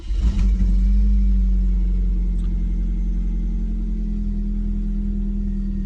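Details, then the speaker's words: 1.6 M43 four-cylinder BMW E36 Compact, about 28 years old, no service history: loud, deep droning rumble right after start-up; the exhaust muffler sounds bad, as if blown. "There's also the muffler, which sounds not great."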